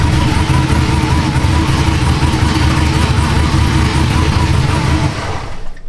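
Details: Supercharged LSA 6.0 V8 Silverado (about 700 hp), described as fully dialed in: deep strong rev holds steady then drops away cleanly with no misses or knocks. A healthy, well-tuned engine.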